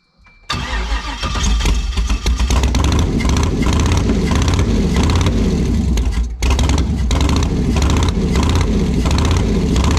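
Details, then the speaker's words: Woody Wagon V8 first start, spark confirmed on all eight, three driver's-side headers staying cold: catches after short crank, runs loud and lumpy with stumbling beat; owner suspects gummed-up injectors. "we still have three on the passenger side sorry the driver's side that's not getting hot on the headers yeah we've sparkling all eight it's probably something to do with the injectors gummed up or something i don't know"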